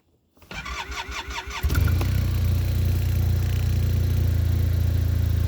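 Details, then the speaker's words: Arctic Cat Norseman 3000, which recently threw error code 2282, cold start after sitting overnight in snow: brief quick cranking, catches at once, settles to a steady even idle; healthy start. "Like I say, it's been starting better."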